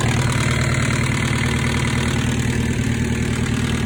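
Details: 2005 ZX-10R motorcycle engine at idle: a loose, busy rattle riding over its steady low drone.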